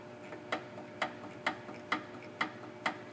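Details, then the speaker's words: 2009 Ford Escape with a front-end rattle over bumps, raised on both sides while the sway bar is pushed up and down: sharp, dry clicks with each push from play in the stabilizer link, which should have no movement. "That little bit of movement in there is enough to make all that noise. And uh there should be no movement in there."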